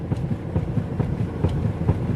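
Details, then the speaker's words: Mercedes GLA 200d, parked with the steering rocked back and forth: quick dull clunks about five a second. Suspected steering rack play, probably at the pinion end, plus slight rack bush play; not confirmed. "കണ്ട ആ റാക്കിൻ്റെ ചെറിയൊരു play, റാക്കിൻ്റെ പിനിയൻ്റെ ഭാഗത്തു നിന്നായിരിക്കും മിക്കവാറും play."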